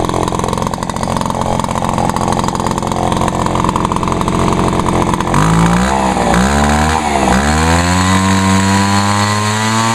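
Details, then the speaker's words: Vintage Echo PB-400E backpack blower: an even buzzing idle, then revs climb cleanly to a high, steady scream with no stumble as the left-side throttle lever opens. Normal full-throttle run. "yep it's a it's a loud one but it's a good one though"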